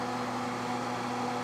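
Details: Eden Pure electric heater salvaged from the trash, running after repair of a burnt-up bulb and already throwing heat: steady, even mid-pitched fan hum, no rattles or scraping; running smoothly.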